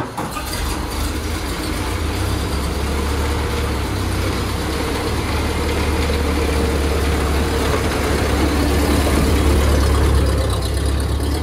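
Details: 1928 Ford Model A four-cylinder, long-sitting car, first drive after fuel feed switched from a bottle to its own fuel tank, no leaks: low, even chugging building smoothly as it pulls away under load, no stumbling; runs healthily.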